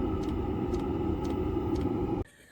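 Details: Velit 12V heater installed in a 2024 Ram ProMaster Super High Roof camper van, mic close to it near the exhaust/muffler; steady combustion roar with fuel pump clicking about twice a second, running normally.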